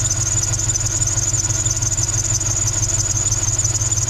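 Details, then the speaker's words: NBS Stepside truck after retuning, at idle: a steady, piercing high squeal rides over an even idle and never lets up; the owner suspects the belt, possibly a pulley, not confirmed. "i really need to probably get a new belt i don't know if it's my belt i think it's my belt"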